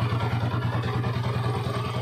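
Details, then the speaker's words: 2008 TMX155 CDI motorcycle after engine rebuild with new original parts, connecting rod, bearing and timing parts; steady, even low idle throb, the former sawing knock inside now gone, sounding normal. "Yan po napakagandang andar nawala na po ung yung kalino sa loob Yung may parang lagare pumupukpok Okay wala na"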